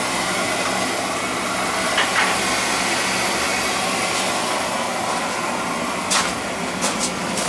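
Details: Basement boiler with a leaking relief valve blamed on a bad expansion tank, fired after refilling: steady airy roar of burner fan and flame with a few handling clicks; burner firing normally.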